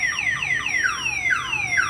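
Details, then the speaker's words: 2003 Chevy Silverado with newly installed Viper 5706V alarm, locked, body struck hard: loud repeating siren sweeping down in pitch several times a second; shock sensor set to moderate sensitivity triggers the alarm. "the other way is if it's locked and somebody wants to hit this hard enough let me see if we can get it to uh go off"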